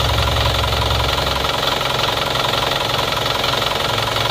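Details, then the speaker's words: Isuzu Panther flat-deck pickup diesel, after blow-by repair with new piston rings, warm at about 60°C: even, steady idle clatter with no misses or uneven beats; smooth, unlike rough worn old rings, and no smoke from dipstick or oil filler. "kalau tidak baru biasanya ya seker lama yang sudah aus suaranya itu akan kasar nah ini sudah halus suaranya seperti ini kalau digas"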